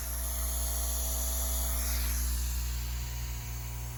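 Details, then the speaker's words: New fish room air pump for 25 tanks, sitting unattached on an aluminum plate: low, steady electric hum with a soft even air hiss, no rattle or buzz; runs quietly compared with the old pump. "Wow, what a difference. All right, this thing is just sitting on top of a flat surface, a piece of aluminum, so there should be even more vibration. You can hear the air coming out of it, but that's not gonna happen when you attach the air lines to it."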